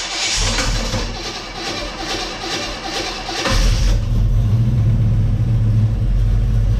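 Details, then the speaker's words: Chevy Nova with a 327 small-block V8 that had not run in a while, on a charged battery, with charging not yet confirmed. It turns over for a few seconds, catches, and settles into a steady even rumble, warmed up at about 1000–1100 rpm. Normal start and idle; possibly fixed. "so maybe it is fixed uh i mean we are idling kind of highs now they're warmed up we're about 1100"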